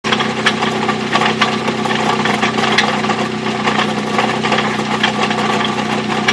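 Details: Mazda B2600i pickup, engine at end of life after five years of hard driving: rough idle with a sharp, regular ticking internal knock before the engine died; cause not confirmed.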